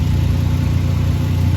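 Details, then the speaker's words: 2011 VW Golf Mk6 wagon at idle after welding and wrapping patched exhaust pipe holes: steady, smooth deep drone, no puffing at joints; exhaust now sealed and quiet. "it's nice and quiet now but holy crap at that heinous thing right there that big glob"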